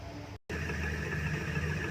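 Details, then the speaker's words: Indo 230 V 50 Hz ceiling fan after its noise problem was fixed without changing the bearings; it now runs with a steady, low, even hum, with no grinding or rattling, and is normal and quiet. "ये देखिए फाइनली हमारा फ़ैन जो चल चुका है, बिल्कुल सही है, कोई भी ज़्यादा वॉइस नहीं है।"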